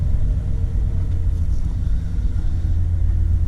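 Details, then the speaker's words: 1995 Ford F150, started after sitting a while, single exhaust: steady, even low idle rumble with no knocks, misses or ticks; engine sounds good and healthy. "Does sound good. Does sound good. Is this a single? Huh? Single exhaust?"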